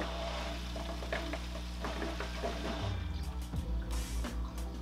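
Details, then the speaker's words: Fluval FX6 canister filter, filled only halfway at first start: steady low motor hum, then irregular gurgling and bubbling as trapped air purges; normal self-priming, with the filter expected to pause 30-45 seconds before restarting. "mber, we only filled it up halfway, so it's gonna self-prime. It'll shut off in about a minute or so, release all the air that's trapped inside of it, and fill itself up completely."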